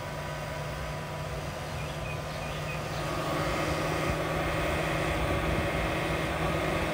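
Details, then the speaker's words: Chevy Bolt EV plugged in and charging in hilltop reserve mode: steady droning whir with a low hum that slowly winds up near the radiator and stops when unplugged; the cooling fan seems to be running hard, cause unknown. "as soon as it hits hilltop reserve it's charging [Music] but just it's a little a little loud and it slowly winds up so Wow listen"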